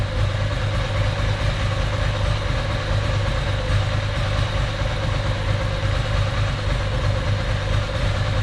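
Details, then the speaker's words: Ducati 750SS with Mikuni carbs, idle mixture screws wound fully in from about four turns out: lumpy, uneven loping idle running on one cylinder, 1.2% CO on gas analyser; far too lean. "as you can tell now it's running on one cylinder because the auto mixure screws all the way in"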